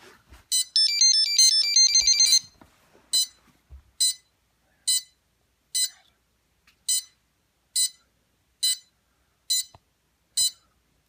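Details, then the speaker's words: DJI F450 quadcopter with freshly charged battery plugged in indoors, FlySky FS-T6 transmitter on in copter mode: short rising run of high tones then single clean beeps about once a second; normal startup signals. "I'm going to plug it in so you can hear and see the signals I get on startup."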